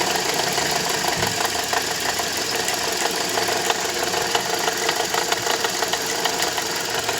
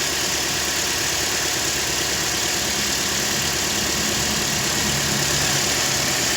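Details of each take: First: Toyota Corolla 150 at idle: light metallic knocking about three per second, a bit uneven; water pump first suspected but fine, alternator overrunning clutch pulley was broken with heavy play and was replaced. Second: Toyota Corolla 150 after replacing the cracked alternator overrunning clutch pulley: smooth, even idle with a steady low hum and no knock, rattle or chatter; the engine sounds healthy.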